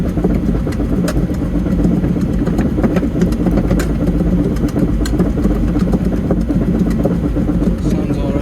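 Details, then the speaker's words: Develon DX210 excavator that won't track straight, new travel motor last month, listened at the idler end with track raised in two-speed travel: steady even drone, no knocks or grinding; reported crunch thought to be stones on the chain, normal. "I think that crunch is more stones on the Chain isn't it bearing in mind the travel Motors over there this is The Idler end doesn't sound unusual to me"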